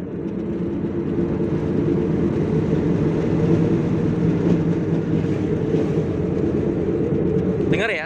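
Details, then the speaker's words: Car on test drive, humming roar like an aircraft under road noise while driving, with vibration felt through steering and body; mechanic suspects a worn wheel bearing, not confirmed. "kalau nggak salah ini laker roda yang bermasalah suaranya seperti ini"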